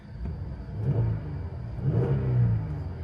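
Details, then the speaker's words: Dodge Durango (2011-onward body style) bought at Copart with crash damage, check engine and airbag lights on; engine revved lightly twice, deep smooth rumble with no knocks, ticks or rattles, no mechanical issues, engine sounds healthy. "it sounds good. It sounds really good. And there's no mechanical issues with this thing."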